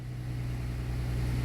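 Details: 2007 Dodge Nitro after fuel pump replacement for a no-start: engine fires and settles into a steady, even low hum that grows slightly louder, no stumbling; running normally.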